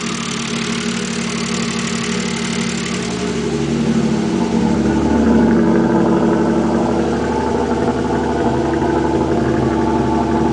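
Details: Mazda K8 petrol V6 idling with a steady, loud knock about four a second. It began right after the left camshafts were removed to change a retainer; the owner believes belt timing was set right and the tensioner is fine.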